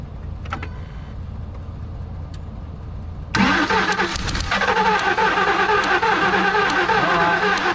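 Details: 2003 Ford Expedition, cranks but no start, just bought with unknown history, possibly overheated; spark present: starter cranks at a steady, even three beats a second and never catches.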